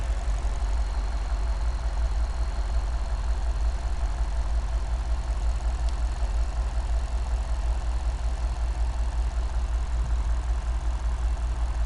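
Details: Cadillac STS at a deep idle with an uneven, stumbling beat, roughly a couple of skips a second; the misfire was diagnosed as caused by bad piston rings losing compression.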